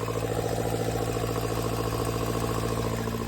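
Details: Daihatsu Mira Walkaround, also leaking coolant; steady idle with a thin constant squeal above the engine note, pointing to a leaking exhaust manifold joint; manifold swap planned.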